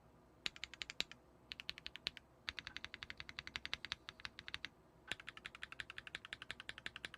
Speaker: all right so um yeah i think uh that uh actually sounds pretty damn good i mean what do you guys think